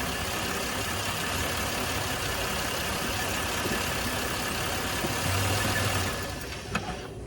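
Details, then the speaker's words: Buick 3.9 L V6 with too much propane fed into the intake: rough, uneven idle that falters and fades until the engine stalls from the over-rich mixture. "you can hear the rough idle takes a little bit of time but eventually with too much propane in the system the car will cease to"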